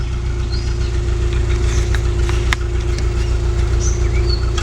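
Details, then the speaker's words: Subaru Outback, recently not overheating with AC on after an apparent radiator air bubble: low steady idle with the odd skipped beat, an occasional misfire at idle; cause not found, owner wonders about the timing belt. "But you hear it missing? So it does miss every once in a while. Generally sounds good."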